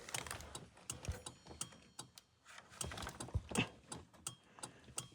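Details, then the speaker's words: Jeep YJ after installing a new turn signal switch with its wires cut and spliced, engine started: soft, steady flasher ticking at about two clicks a second as the right and left signals blink and cancel, so the turn signal flasher is operating normally. "okay it's blinking right turn it to the right do that click go back Tada shut off left signal click back to Center Signal's off"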